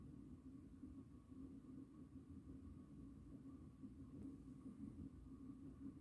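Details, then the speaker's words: 36-inch Four Seasons Galaxy spinner ceiling fan on low speed: quiet, steady low rumble with faint constant hum carried into the ceiling, from badly worn bearings; fan also wobbles, worse at higher speeds. "here's a low this fan has a lot of bad bearings um pretty much rumbles the ceiling actually like yeah like you can really hear it it's really loud already on low"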